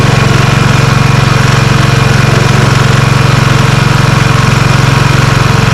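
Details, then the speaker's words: Lawn Ranger riding mower after deck repairs: steady even single-cylinder chug around three per second with no knocks or misses while mowing; runs cleanly, though steering is stiff. "The old Lawn Ranger mows. Didn't mow too bad, but I mean primarily that's not the reason why I got it going."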